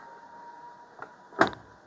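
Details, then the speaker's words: Samsung front-load washing machine in test mode, door lock test: quiet hum, then a faint tick and sharp clack as the door latch locks and unlocks cleanly; normal door lock actuator click. "ওই ডোরটা lock হয়ে গেল আবার যখন press করবে একটা শব্দ ডোরটা unlock হবে। এই যে খুলে গেল।"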